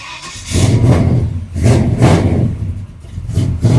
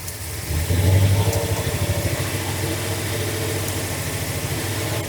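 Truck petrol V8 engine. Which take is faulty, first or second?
second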